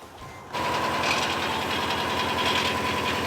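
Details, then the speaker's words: Subaru Outback XT turbo, one owner, just fitted with a new battery, started outside in the cold after a long crank: fast clattery, rattly idle; owner suspects the rusty exhaust, a failing turbo, or the engine bottom end. "It doesn't sound too good. Sounds a little clanky, a little rattly. Could be the exhaust, could be the turbo that's eating itself alive maybe?"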